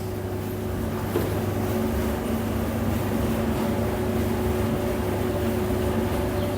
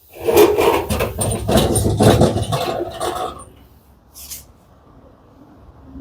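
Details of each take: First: Whirlpool 15 kg vented dryer after replacing a defective drum roller wheel, running on Prim dry 60: steady low hum, smooth drum rotation, no knocks, squeals or scraping, unlike the earlier loud noise; normal running after repair. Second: Whirlpool 15 kg vented dryer, drum turned by hand with door open: rough, dragging scrape in uneven bursts for about three seconds, drum feels tight; defective drum roller, fixed by replacing it.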